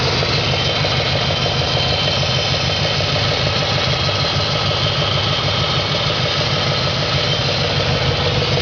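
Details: 2004 Audi S4 4.2L V8 at idle, gauge showing over 100 psi at idle: a faint, fairly regular light tapping, roughly three per second, over the engine note; idle knock of unknown source.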